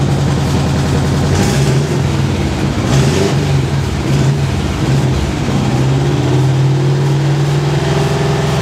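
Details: 1970s VW custom trike, air-cooled engine, after fixing a flooded carburetor, primed with the accelerator pump on a low battery: catches, blips up and settles to a steady low idle.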